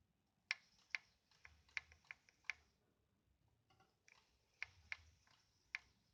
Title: Tacx Genius Smart clicking sound